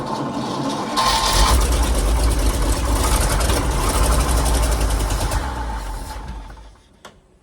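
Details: 1973 GMC cabover 366 big block with four-speed and two-speed rear, cranked in neutral after Seafoam additive; catches and runs unevenly with a ragged, stumbling beat, smoking, then shuts off; rough idle after start.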